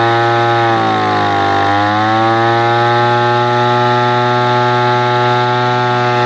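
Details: Echo PB-210e two-stroke leaf blower, 25+ years unmaintained, during carburetor high-screw adjustment after spark plug connector repair: full-throttle wail sags briefly then recovers clean and even; running well.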